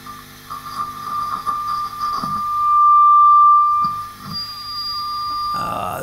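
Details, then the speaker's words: Hand-wired Vox AC15 tube amp with nothing plugged in, checked while trying vintage 12AX7-type preamp tubes after very microphonic ones. A steady high whistle near one kilohertz rings on its own: tube oscillation squeal from a tube oscillating within itself. "this is nothing plugged in that's just that it's just a tube oscillating within itself"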